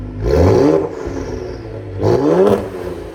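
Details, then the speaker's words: 2020 Ford Explorer ST after replacing the failed, rattling flex pipe; two clean throttle blips with a raspy bark and no rattle or metallic buzz; smoke only from WD-40 sprayed in pipes; normal exhaust note. "Sounds good. Again, don't worry about that smoke. WD-40 in the exhaust and stuff."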